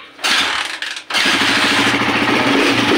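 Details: Honda TMX155 CDI motorcycle that backfired, sputtered and was hard to start despite a new harness, ignition coil, CDI, spark plug and stator, after rerouting wires chafing on the speedometer bracket: quick catch, steady even idle without popping; starts and idles cleanly.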